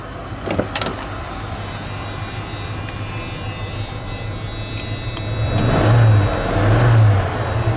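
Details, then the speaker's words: Junkyard Bullnose Ford EFI with 460 injectors and new O2 sensor, which misfired and stumbled at first, now idles and revs cleanly without hesitation; smooth throttle response. "When I give it, it's a smooth throttle now."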